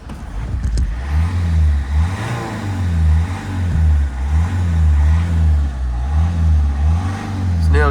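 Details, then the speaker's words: Citroen C5 petrol estate, previously failing to restart 15–20 minutes after warming up, fault code P0215, fuel drained and about 10 litres fresh added, MAF sensor disconnected: warm restart gives low, steady, even idle with no knocks or misses. "So far, guys, it's looking really really good. The engine sounds healthy. It sounds fantastic."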